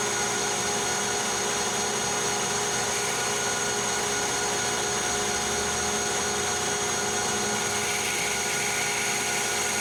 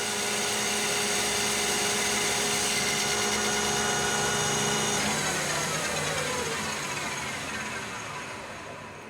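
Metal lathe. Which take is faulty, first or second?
second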